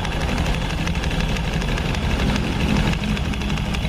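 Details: Honda Scoopy scooter with 12-inch rims idling with its CVT opened: a loose, irregular knock under the engine note; a CVT part is loose when it should be tight, suspected as the source of the clunk.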